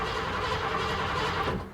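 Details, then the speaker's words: 1986 Ford F-150 5.0 L V8 that cranks but won't start: steady, even cranking cadence without catching, so compression issue unlikely; suspect lack of fuel or spark, emission light on. "so the engine sounds good so the engine crank the the crank Cadence sounds even and consistent so we most likely don't have a compression issue"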